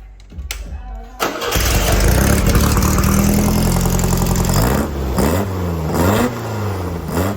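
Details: VW Baja engine with Weber-style carbs replacing the Kadrons, after rejetting (ended up with a 52 jet): catches, then revs cleanly in repeated blips with pitch rising and falling evenly and no stumbling; the carburettor is running well.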